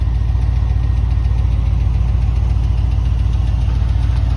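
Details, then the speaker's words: Warm V8 idling at about 800 rpm, coolant 205°F, both fans on, air-fuel 13.5, hot oil, Hush Thrush mufflers: deep exhaust rumble with a quick, fairly regular lifter tick on top. "uh I got a lifter tick you'll hear it when I walk around but I do have a lifter tick"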